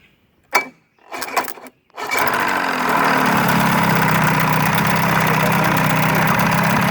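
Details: Evinrude 35hp outboard, model E35ECIG, that would not start because of a faulty neutral safety switch. A couple of cranking bursts, then it catches and settles into a steady, even idle burble.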